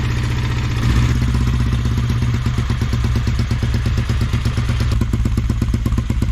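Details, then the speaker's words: Rough, uneven idle with irregular popping from the single-cylinder race bike, run with no air filter on its carb (Nippy cup); owner fitting a paper filter from his own bike to see if idle improves before touching jetting. "so I just tried running the nippy cup with no filter it doesn't seem to like it so I'm just gonna put on a paper cross filter I've taken from my bike and if it runs a bit better then I'll order one up"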